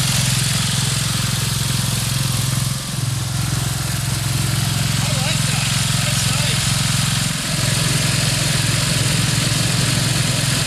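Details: Craftsman LT2000 lawn tractor, Briggs 17.5HP, test drive after cleanup and repair: steady even low drone at constant speed, no knocks or misses; engine running smoothly.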